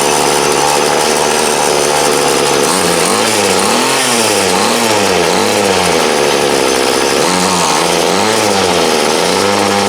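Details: 2008 Troy Bilt TB20CS 31cc two-stroke trimmer, fuel lines, filter and primer replaced, idled about 5 minutes and wanted half choke; revs rise and sag in repeated surges about once a second: carb dead spot, mixture adjustment needed.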